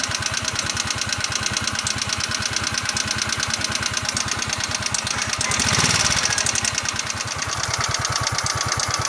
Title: Valve Ticking Noise | Scooter Yamaha Mio